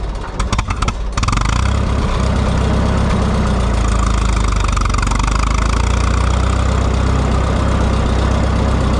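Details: Minneapolis Moline GTB tractor, after plugging back in a temporary coil that had come unplugged: a short crank catches within a second and settles into a steady, deep, even idle with no misfires; healthy.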